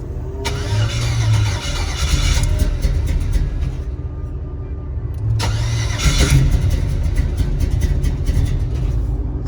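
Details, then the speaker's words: G-body El Camino with LS swap, 5.3 with 243 heads and LS6 intake, new wiring: two bursts of steady starter cranking that never catch; cranks but no fuel, fuel pump dead. "yeah, the fuel pump is dead, and I've been working on this for a couple hours."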